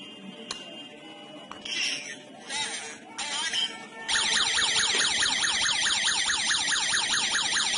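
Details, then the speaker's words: Smart home alarm host demo: water leak detector triggered, sending a signal to the host, which sounds a loud warbling siren sweeping up and down steadily, plus app notification and phone call. "If there is a water leak, the detector will send a signal to the host device. The host device will generate an alarm and send a notification to your mobile app, and at the same time it will give you a phone call."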